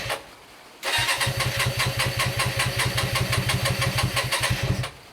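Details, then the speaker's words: Hyosung GT125RC after two years standing, carbs ultrasonically cleaned, with a little choke on a warm day: catches, runs about four seconds with uneven stumbling firing, then dies, fumey and running too rich; oil level not checked. "no it doesn't like the choke at all um oh it's a bit fumey"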